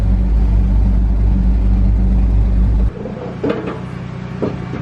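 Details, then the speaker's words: John Deere diesel with 6 new fuel injectors and a new transfer pump, with no muffler fitted. A deep, loud, unmuffled rumble fires and settles into a steady, even beat. The engine starts and runs cleanly. "all right we're gonna try to crank it here don't have no muffler on it right now so listen up"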